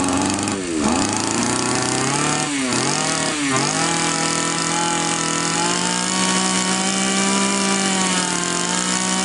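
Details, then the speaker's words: Champion two-stroke trimmer flooding heavily before the carburettor fuel screw is turned in; the screw likely loosened from vibration: bogs and stumbles three times, then climbs to a steadier pitch; rich mixture, carburettor flooding. "Судя по всему Он очень сильно заливает сейчас мы будем этот вин закручивать"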